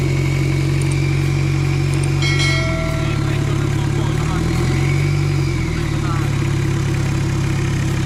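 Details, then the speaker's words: Mitsubishi Adventure diesel with an adapted turbo on a stock engine internally, first start: steady idle with light blips and a clearly audible steady turbo whistle over the engine note; sounds healthy. "Ayan, rinig na rinig yung sipol ng turbo niya ngayon. Manitin lang natin ang konti."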